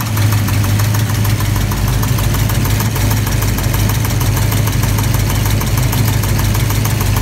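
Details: Engine just fired up after initially popping badly; timing and firing order were rechecked. Fast, light metallic ticking over a lumpy idle, keeping pace with the engine. Owner suspects a loose or contacting rocker arm or lifter, or a bad lifter; unconfirmed.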